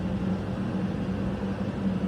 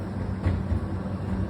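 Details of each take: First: Hoover H-DRY 300 tumble dryer, dented after a fall, running after the two drum dents over the support rollers were straightened: only the steady motor hum and drum rumble, no thumping "gup-gup" as before the repair. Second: Hoover H-DRY 300 tumble dryer, new and damaged in a fall, running with deep rhythmic thumping as dents in the drum rim (marked with tape) roll over the left and right support rollers; drum felt uneven turned by hand; fix is straightening the dents.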